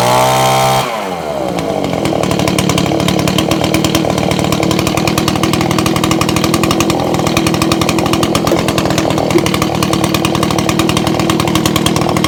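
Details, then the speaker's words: Old Echo leaf blower after repair and priming, reassembled, switch on: quick start then steady high even two-stroke buzz with no misses or surging; running cleanly. "i'm going to start it up and shouldn't need a little choke and it's on the on position"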